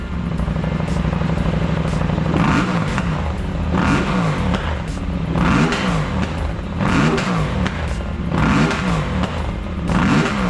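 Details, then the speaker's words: KTM 790 Adventure R twin, warmed up, after new intake and Power Commander 6 install: throttle blips rise sharply and drop cleanly with crisp pops and flames on the overrun; healthy revving. "I'll give her some revs. It now spits flames. She sounds mean."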